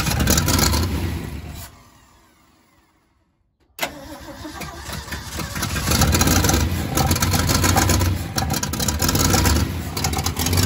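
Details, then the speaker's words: Freshly rebuilt truck engine after carburetor fuel filter replacement: cranks, catches and holds a fast steady idle well above normal because throttle linkage is positioned too far open. High idle from misadjusted throttle linkage. "So when I had it started up, this was too far. I'm gonna mess it up. Yeah, it was too accelerated, so we gotta figure out how to get it positioned right."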